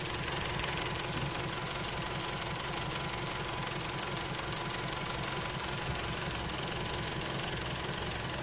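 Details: Rapid, sharp ticking at nearly three a second over a rough idle on LPG in a 4-cylinder car; the worn STAG WC-03 gas injectors are clattering and were replaced with a new set.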